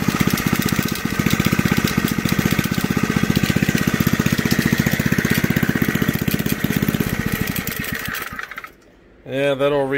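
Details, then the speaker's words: Junkyard Briggs engine on an old reel mower, just revived and running above idle; a fast, loose clattering rattle grows louder over the firing beat, and the engine then turns crabby. "is starting to make a whole bunch of racket gonna make me look bad in front of all the people in front of all my friends and family well she's crabby all of a sudden"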